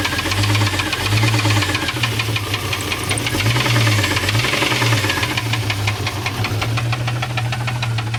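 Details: 1989 Jeep Cherokee XJ Renix 4.6L stroker I6 (AW4) started with the valve cover off after valves checked OK: sharp, rapid metallic knock over a rough rumble at idle. Temps were running high; owner suspects something loose, later number 6 cylinder.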